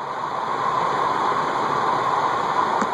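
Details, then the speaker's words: Cast-iron Heat Recovery Systems L-356 industrial ceiling fan, circa 1991, first amp-meter test after seized bearings were freed with repeated WD-40 soaks and oil, motor not disassembled: steady airy whirr and mid hum; bearings still loud and suspected not fully free. "the bearings are still pretty loud and I don't think they're as free as they could be"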